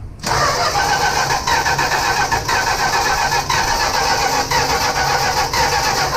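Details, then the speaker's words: 1965 Plymouth Barracuda that sat for years: steady starter churn without a single firing pulse; cranks but won't start, no spark, ignition wiring suspected shorted or miswired, may need a different distributor or a rewire. "it ain't firing yeah it's it's got something in the ignition system that ain't wired right something something shorted out somewhere in this ignition system"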